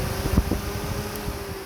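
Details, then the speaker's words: 2002 Jeep Cherokee WJ electric radiator fan wired directly to battery, bypassing the switch (overheating in traffic): steady whirring hum with airy rush; fan runs smoothly, so the fault is likely wiring, not the fan. "so nothing therefore is wrong with the fan itself"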